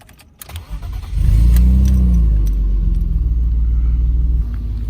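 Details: 1995 BMW E34 520i Touring phase 2, six-cylinder, start-up: the engine settles into a loud, deep, raspy rumble with a chuffing pulse. The muffler is completely rusted through and leaking exhaust, a technical-inspection fail point.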